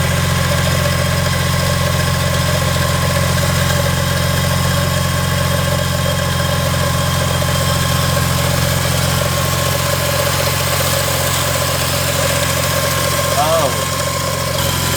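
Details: BMW E46 M3 after new spark plugs, ignition coils and valve cover gasket for a misfire, started on a weak battery: steady idle with a metallic rattle and whir tracking engine speed. A ratchet and socket were left on the crank pulley.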